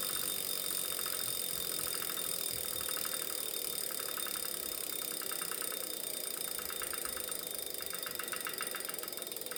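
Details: Wahoo Kickr Core bike trainer: sharp, regular clicking that speeds up as the flywheel spins faster.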